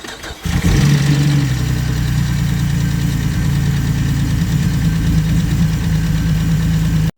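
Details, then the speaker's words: 2010 Camaro 3.6L V6, 10,000 miles overdue for an oil change, customer reports hard start and slow crank: it starts quickly, but after about 3 minutes of idle a loud clacking valve train chatter still hasn't quieted. "It's been running for about 3 minutes now and the valve train chatter has not quieted down at all. That really clacky noise."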